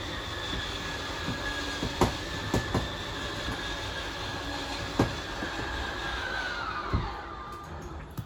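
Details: Normal slide-out motor run on a 2022 Wildwood 28VBXL travel trailer: steady mid-pitched whine with a few clunks as the room extends, motors whine briefly at full extension then shut off automatically.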